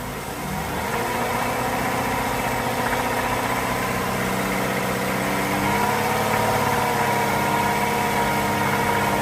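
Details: 3.6 Pentastar petrol V6 idling steadily with fast, light tapping and ticking running through the engine note.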